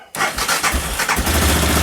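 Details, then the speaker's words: Aprilia Pegaso with cleaned carbs and new carb inlet rubbers on a temporary battery, stone-cold second startup on choke: brief crank, catches straight away and settles into a steady, even idle; a healthy cold start. "oh brilliant so this is with the choke on I'm turn the choke off turn the choke back on oh this seems better"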